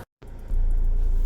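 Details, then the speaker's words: Mercedes Sprinter diesel after alternator bearings, clutch pulley and brush pack replaced: after a short dropout, a steady low rumble runs smooth and even with no whine on top; alternator sounds healthy. "So, you would have seen the before when it was a bit whiny with the bearings and the clutch pulley. And now you'll hear it that everything has been replaced."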